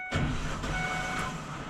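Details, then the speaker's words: Ford E250 van no-start with battery voltage confirmed good: a high, thin free-spinning whir with no catch as the starter's drive fails to engage the flywheel; starter judged bad, broken ground wire and cracked transmission housing at the starter mount also found. "Starters are 100% gone. That does not sound good at all. Uh-oh. That actually sounds really bad."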